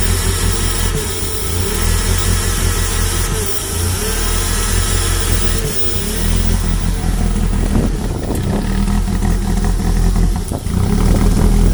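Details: Toyota MR2 with 3S-GE Beams petrol engine, after new spark plugs and injector cleaner, no vacuum leaks found: idle wavers and dips instead of holding a steady beat; cause unknown.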